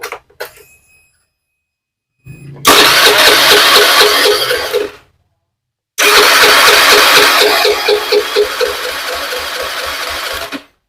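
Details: Honda Beat FI fuel-injected scooter cranks in two long steady bursts but won't fire; it stalls when the throttle is released and needs throttle held to start.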